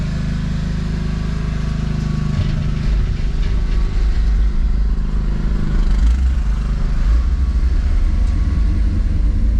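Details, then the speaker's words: '57 V8 with FiTech fuel injection just reinstalled after warranty repair, first run: deep drone that surges and wavers instead of holding steady. Runs rough; owner thinks the self-learning system needs to learn and tuning is needed. "well she's running i wouldn't say real well but it's got to learn some stuff and i got to do some tuning i think"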